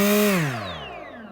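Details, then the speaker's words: RaceCore 5040 bullnose propeller on DYS SAM GUK 2400 KV motor, delta-wing pusher: clean motor-and-prop whine holds, then winds down smoothly with no wobble beat, humming or vibration. Balanced propeller running smoothly. "this propeller is pretty balanced there's no like humming or vibrating"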